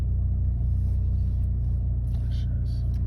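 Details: 2008 Chevy Malibu with rough idle and hesitation on acceleration: an uneven, low throb at idle that wavers instead of humming smoothly; the cause is not yet known.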